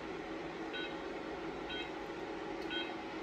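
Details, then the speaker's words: Remy FX45 45 W Class 4 laser, frequency mode, switch pressed on emitter: short, clean high beeps about once a second over a low hum, signalling laser emission and heat output; normal operation. "i just push this switch and now you can hear the beeping sound that means that immediately after that beeping sound there's heat that's coming out of the laser"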